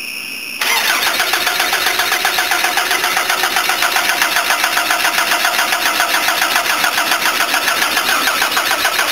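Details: Van that stalled and wouldn't restart, with fuel that smells off (ethanol-like) and oil smelling of petrol, cranked with the fuel filter off: the starter churns steadily at three to four turns a second and it never catches; flooded engine, hard start.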